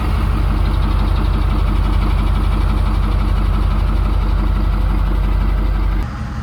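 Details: 6.7 Powerstroke diesel, fitted with a new 1000hp built 6R140 transmission, fires right off and settles into an even steady idle clatter; a brief tick was noticed; healthy start and idle.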